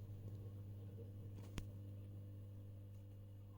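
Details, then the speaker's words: Elektro Automatik EA PS 7065-100 650W linear bench power supply: very loud steady transformer hum, louder as output voltage is raised; transformers shorted by mounting metal, hum carried to chassis, 42 W idle draw. "er en meget høj brummen, når jeg skruer op for udgangsspændingen, det gør jeg"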